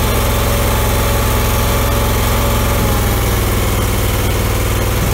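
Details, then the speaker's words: 2000 Allmand TLB-25 mini backhoe, 25 hp Kohler twin-cylinder gas engine, after new head gaskets and electric fuel pump, driving under light load packing snow: even steady putter, regular firing pulses, no misses or knocks; normal running. "foreign real good now and we got the uh head gaskets on and everything"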